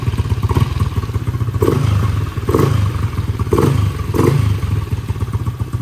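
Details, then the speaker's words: LC135 V8 single built to spec 63 with 20/23 head, 180 injector, 34mm throttle body, Tune Boss ECU, TS Racing 32 exhaust, new coolant and oil: crisp throttle blips rising and falling cleanly over steady beat, no knocking or rattle; revs freely, healthy. "respon ok, cantik. Enjin pun senyap, alhamdulillah."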